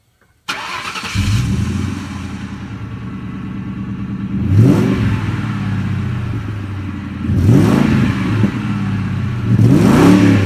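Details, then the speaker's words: 2003 Ford Mustang GT V8 after small adjustments, missing bolts replaced, ground wire repaired: clean start, even idle, three crisp throttle blips rising and falling smoothly; runs strong, transmission shifts perfectly. "running really good. The transmission shifts perfect."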